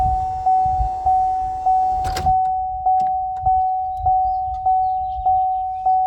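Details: 2014 Chevy Cruze power window running during regulator replacement, motor being moved to a new regulator: steady motor whine with a regular click about every 0.6 seconds, suggesting a slipping or worn regulator; cause suspected, not confirmed.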